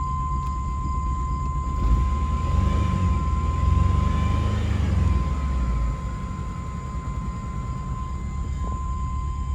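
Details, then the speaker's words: Chevrolet S10 pickup with cylinder 2 misfire, idling just after new spark plugs; lumpy, uneven idle with a low stumbling beat that keeps dropping out, still missing badly; check-engine light not flashing, owner suspects bad gas; misfire at idle. "ah we're missing it's missing pretty bad now i don't know what's going on"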